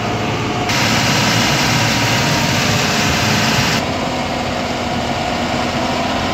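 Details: Tata 2518 BS4 tipper diesel idling after injector fitting and fault codes cleared; steady, even, unbroken clatter with no knocking or hunting, the earlier knock gone and the engine running normally.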